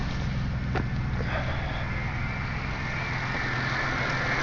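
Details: Buick Regal supercharged 3800 Series 2, about 212,000 miles, after rough-idle fix, throttle blipped from under the hood: strong even engine roar with no stumble, hiss or surging; normal running.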